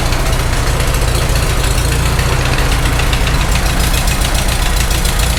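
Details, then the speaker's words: Farmall H tractor, first start after engine rebuild, idling: a light regular tick in the valve train, softer than before; holding one suspect part makes the noise go away, so that spot is suspected but not confirmed. "I think that's the one hit hit this one again noise goes away when you hold that"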